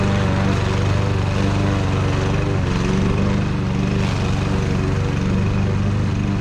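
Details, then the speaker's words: Fairly new Troy Bilt lawn mower with low compression, previously a no-start, running after its tank was drained and its carburetor cleaned: pulls steadily through thick grass, dipping slightly under load and recovering evenly; running well. "well that's a wrap we got it running and it's running a lot better than I thought it would going through that thick grass"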